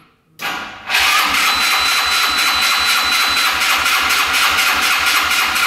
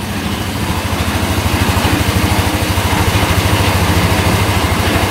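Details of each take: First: Yerf-Dog Scout 4x2 UTV, sat outside for years, started on choke: engine catches, runs rough about seven seconds, then fades and stalls from fuel starvation; clogged filters stopped the fuel pump, no gas reaching the carb. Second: Yerf-Dog Scout 4x2 UTV, sat outside for years, after replacing the broken tank pickup hose: running off choke and warming up, even low putter about 200 pulses a minute with no skips, clean quiet idle.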